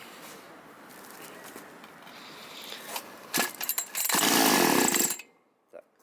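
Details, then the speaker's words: Chinese petrol chainsaw during carburetor adjustment of the idle and H (fuel) jets, cover removed: catches with a rough burst for about a second, then sags and dies; idle speed set too low, idle screw to be turned in further. "Так, замало холостого ходу."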